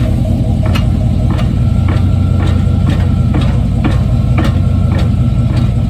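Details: 1995 Chevy Silverado pickup, 5.7 V8, iPhone taped underneath the truck: sharp metallic clunks about every half second, roughly 110 a minute, over a low steady engine drone; suspected drivetrain clunk, cause not located.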